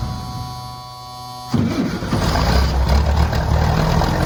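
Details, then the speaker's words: M109A3 (M35A2) military truck diesel, cold start after sitting outside all night at 30°: catches after brief cranking and settles into a steady, even idle clatter; healthy cold start. "the truck has been sitting outside all night it's currently 30° let's see if it starts"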